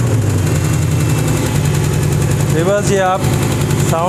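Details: Chrysler HEMI V8 at idle with a light, quick ticking that keeps pace with the engine; a faulty valve lifter is suspected, with lifter replacement planned.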